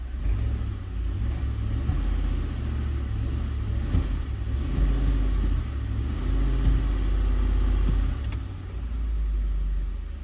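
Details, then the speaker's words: 2010 Ford Explorer 4.6L 3-valve V8, cold, brake-torqued: lumpy rumble with one cylinder misfiring, only when cold; plug and coil already replaced, diagnosed as a failed roller follower. Cold engine misfire (single cylinder). "so we're only getting the issue when it's cold like that so it's pretty elusive you know"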